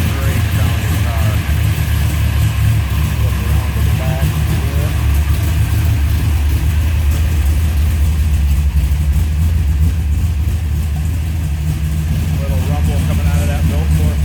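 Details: 1967 Dodge Dart GT, 440 V8 stroked to 540 ci, 10.5:1 compression, Ross pistons, dynoed 691 hp: loud, deep, even idle with a steady lumpy beat, no knocks or misses; sounds healthy.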